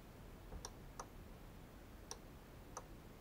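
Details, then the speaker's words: Remote relay box powered by a 12V wall-wart in a quiet room: sharp, irregular relay clicks, five or six in three seconds, with the remote untouched. High-frequency interference from a FLIR camera is suspected; mainly relays A and D switch. "You hear it clicking? Yeah, this, it seems that my camera has some high frequency noise that lets the thing go crazy."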